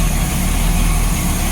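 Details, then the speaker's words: 1987 Bayliner Cobra 2250 with OMC 5.7 V8 sterndrive, idling while warming up in the water after gimbal bearing replacement: deep, even rumble with no knocks or misses; a normal idle, smoother and quieter than before. "Just wanted to point out the noise from this engine is a lot smoother, a lot quieter."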